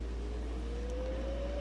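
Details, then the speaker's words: Silvertone 4721 air-powered chord organ, after freeing one springy stuck key: steady low drone remains with a faint tone slowly creeping near 500 Hz; a second key still stuck, found and fixed next. "so now when I turn it on starts making that hum I can mostly get it to stop by doing that so there may be a second key"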